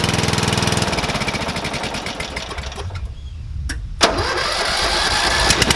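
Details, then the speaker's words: Murray 12.5 HP, 40-inch-cut riding mower that had stopped running, after a new carburetor and air filter: quick start, regular firing beat that dips briefly then recovers to a steady run; sounds healthy. "is she's running good"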